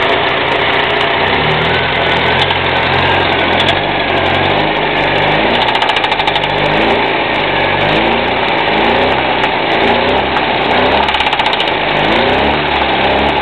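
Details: UZAM 1.5 petrol engine idling and revving with a faint, irregular knock riding over the running note; engine knock of undetermined cause.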